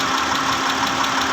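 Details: 2010 Mitsubishi Pajero, 6G74 V6, at idle: a fast, even ticking knock, about eight a second, over a steady idle hum; engine knocking, cause undetermined.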